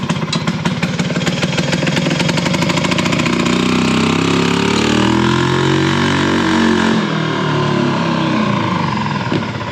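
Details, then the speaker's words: Harley golf cart with a single-cylinder engine and a loud muffler: engine revs and holds for several seconds before forward drive engages, sometimes 10–15 seconds, while reverse engages quickly. The clutch struggles to squeeze the belt; slow clutch engagement. "whereas when you want to go forward it takes like I don't know sometimes 10 or 15 seconds to engage and get going"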